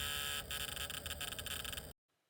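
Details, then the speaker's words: Kawasaki GPZ 750 Turbo hazard flasher giving a continuous harsh fluttering buzz for about two seconds instead of clicking; new relay didn't fix it, wiring suspected. "that's the sound the uh hazards are currently making I put in a new relay um and it didn't seem to have done the trick so there's got to be something else wrong there"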